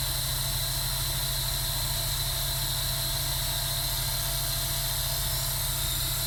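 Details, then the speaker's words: Sega Dreamcast GD-ROM drive, suspected failing capacitors, after reclosing tray: steady even constant-speed whir, no seek ticking, spins disc but stopped reading; reading works after reopening tray again. "Okay, now you can hear it's at a constant speed and it's kind of quit trying."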